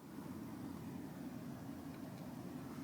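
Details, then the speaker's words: Vintage TEAC A-1250 reel-to-reel tape deck with the volume turned up: a loud, steady, low roar with a faint hum from the right channel, barely audible at low volume; a faulty audio amplifier transistor is suspected, not confirmed. "I don't know if you can hear that on here or not but I'm getting a loud roar out of the right Channel and like I said that usually means that there's a a faulty transistor audio amplifier transistor that's going out"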